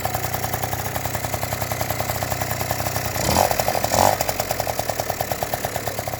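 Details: Yamaha Jog two-stroke scooter that wouldn't start, after cleaning the spark plug and tightening the cylinder head: crisp idle, two throttle blips rising and settling cleanly, then steady even putter; runs healthy.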